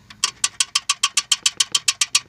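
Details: Ford 4.6 SOHC, sludged engine, just acquired: a sharp metallic tick about six or seven times a second. The owner suspects rocker arms, which show excessive play, or the timing chain; the cause is unconfirmed.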